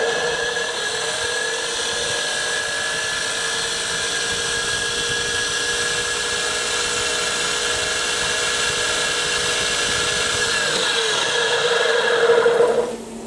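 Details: Steady high-pitched motor whine with an even pump rhythm around three strokes a second, no knocking or grinding: a fire-truck compressor pump converted from a 240 V motor to a 12 V DC hydraulic pump motor, running smoothly.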